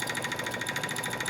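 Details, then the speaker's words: Wood lathe (10" x 18"), turning a blank just under 7" x 4": a high, thin squeak pulses about eleven times a second over the motor hum. Owner suspects the tailstock or a wheel; unconfirmed. "yeah it's coming from in here somewhere I think like uh that wheel I think it's squeaking the uh tail stock I think it's making a squeaky noise this right here"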